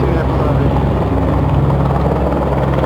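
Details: São Paulo police helicopter flying overhead, 24/06/2020, North Zone: loud low rotor throb with a steady pulsing beat and droning undertone; the noise sounds abnormal, but the cause can't be pinned down by ear.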